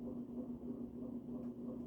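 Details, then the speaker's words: June 1984 Evergo 52" hugger ceiling fan, model 4E-6LW P35, orange cast-iron motor, on high: low steady hum with a buzz swelling and fading regularly; cyclic motor buzz, owner suspects slightly out-of-round motor, less bad on high than lower speeds. "They're probably just all a little bit out of round, because it does have a bit of a cyclic buzz."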